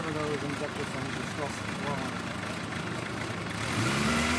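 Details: 2008 Suzuki GSX-R750 hot restart after sitting an hour following a 2.5-hour ride, reading about 129–131°: engine catches and runs unevenly, revs wandering before climbing under throttle; hard hot start, cause unknown, smoothed out after about 4 minutes.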